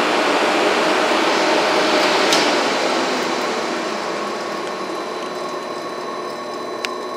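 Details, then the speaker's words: Used Hengli HSA1505 belt furnace, belt speed set to 100 with heating on and the belt motor turned down: the cooling blowers ramp up to a steady, even rush of air with no ticking or rubbing. The fans sound normal. "And then the cooling, you can hear the blowers ramping up, the fans. Turn the motor down a little bit so you can hear the fans."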